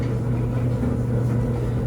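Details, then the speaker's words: LG DLGX4001 gas dryer on a normal cycle with TurboSteam: a steady, deep burner roar with a low hum and no knocks or scraping, loud because the dryer sits in a very open space. Normal flame sound. "the flame and my Dryer's flame sounds louder than I think most others do because my dryer is in a very open environment so there's not really anything to muffle the noise"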